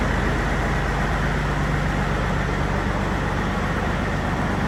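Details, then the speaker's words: Non-running Peterbilt 379 project truck at first start: heavy diesel idle with uneven choppy beat about four pulses a second; rough idle, owner suspects a bit of air, cause unconfirmed. "running a little choppy. It might even I don't know. You hear it? It's got a little wheel in it."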